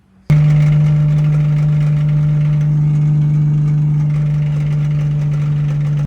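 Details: Big-turbo RB25NEO freshly reinstalled, after first drive and pulls: smooth steady low idle, no ticks, knocks or misses; motor healthy with good oil pressure, but transmission is damaged with missing teeth on some gears.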